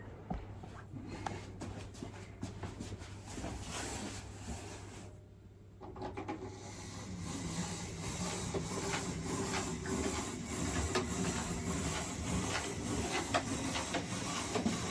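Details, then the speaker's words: Model railway N2 locomotive on the just-reassembled Leopard Street layout with track power back on. The motor whirs and rasps unevenly, drops out near five seconds, then picks back up. It runs roughly and stalls, clearly unhealthy. "We have a locomotive moving. Nice and noisily. So what I'm going to do is we shall follow her around, not sounding terribly healthy, and then stopping."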